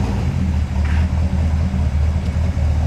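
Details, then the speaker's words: 1973 Corvette C3 with 454 (7.4 L) big-block V8, off the road over a decade and being restored, running: deep, lumpy V8 rumble holding steady with a strong low beat, no tapping or knocking; healthy-sounding engine, normal running. "It's a 1973 corvette C3 it's the big block, the 454. What we're doing to it is we're updating it and getting it back on the road and just making it a really nice car to be able to jump in and drive any day of the week. As you can hear, that engine is really sweet."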